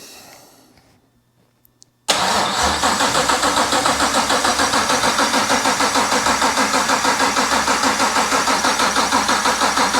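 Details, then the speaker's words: BMW 635CSi E24 with a 6.2L Gen V LT1 swap at first start, no exhaust: about eight seconds of slow, even cranking near three turns a second, never firing. Crank no start. Owner suspects a weak battery not cranking enough to prime fuel. "so i think i understand why the car didn't start at first and the reason is because the battery was dying"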